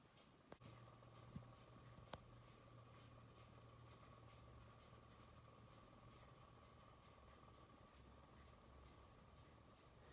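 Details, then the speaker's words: 1954 Ingraham Sentinel "Kitchenette" electric wall clock after rotor disassembly and re-lubrication: a couple of faint clicks then a very quiet, steady low rotor hum, audible only in a silent kitchen; repair successful. "so when people are in the kitchen and things are happening that's based like the clock sounds silent I mean the kitchen itself has to be silent before you can actually hear anything coming from the clock"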